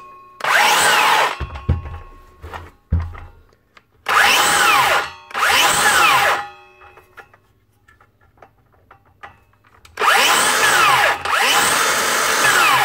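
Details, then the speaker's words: DeWalt 54V DCS577 circular saw spun up in short bursts: harsh rough whir or grinding over the motor tone that comes and goes, traced to a failed bottom motor bearing (standard 6002), replaced. "it's either aarian or a gear of course she only making that sound sometimes and not all the time I'm going to say it's probably a bearing"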